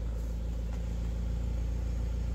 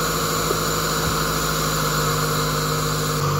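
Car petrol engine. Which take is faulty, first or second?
second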